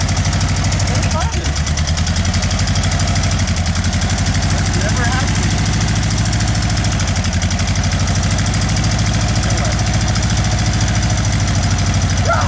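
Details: Volkswagen: loud, lumpy idle with a heavy uneven throb, only the two cylinders on one side running; the whole car shakes, and fuel can be smelled from the dead cylinders.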